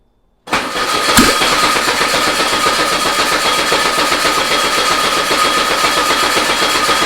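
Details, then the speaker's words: Old VW Beetle engine sat two years, on start stand with control box, about 70°F: catches suddenly and runs rough, uneven idle for a few seconds; not enough fuel squirted into carb. "All right. We didn't have enough gas in it, guys. Let's add some more. It started."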